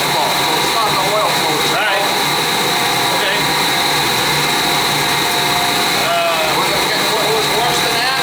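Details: Oil-fired boiler burner that wouldn't fire up: steady high whir with thin whine and rough strained edge; technician says pump could be bad but suspects worn burner motor, not spinning up enough.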